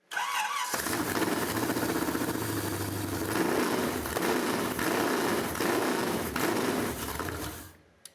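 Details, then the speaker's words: Chevy V8 first start after swapping the carburetor and intake for an HP multi-port EFI system with new ECM: cranks and fires straight away, then settles into a strong, even idle with no stumbles or leaks; running cleanly. "Strong, strong, no leaks, nicely done."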